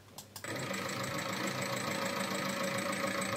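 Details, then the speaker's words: Seat Altea 1.9 TDI (105 hp) with 175,000 real km, run on 10W-40, more viscous than recommended: at idle a hard, regular knock of three to four beats a second over the diesel clatter, from internal engine damage. "175 bin gerçek kilometrede nasıl ses çıkardığını görüyorsun, neden böyle ses çıkardığını daha sonra anlayacaksın, zaten söyledim, normal değil, sadece bu kilometrelerde bu kadar kötü ses geliyor"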